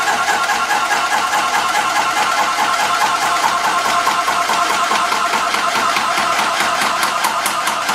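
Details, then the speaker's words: Graco ProStep paint sprayer, primed with paint, building up to the set pressure on the gauge before spraying: loud, even pumping at about two to three strokes a second with a steady rhythm, a normal pressure build-up. "What will happen is pressure gauge will go up to the pressure that it's set at."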